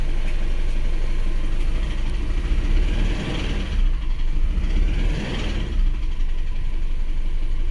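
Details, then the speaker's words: Isuzu Alterra diesel with misfire, low power and check engine light after a valve cover gasket job: rough, uneven idle with irregular stumbles; code injector group B supply voltage low, and a chafed wire shorted to ground killed two injectors. "one click siya pero palyado Oo yun nga ito mga boss fuel injector group B supply voltage second low palyado"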